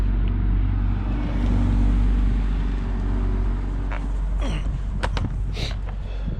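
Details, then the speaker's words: Engine with the valve cover off: the rockers all move when cranked, but it runs with a low, uneven, lumpy rumble, puttering and sharp backfire pops. The owner is unsure whether a valve is stuck or something else is wrong. Rough running with backfire. "giving me some backfire, some puttering, puff, puff, puff, like that."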